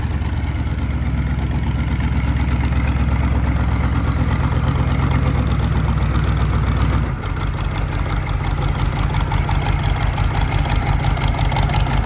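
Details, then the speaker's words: CUCV squarebody Chevy diesel truck: heavy diesel clatter with a deep, regular knock that rises with revs and settles back at idle. The owner first thought the flywheel, now suspects a connecting rod about to come out of the block. "it's making a very odd noise I mean it's probably not really that odd it's probably got a rod getting ready to come out of the side of the block"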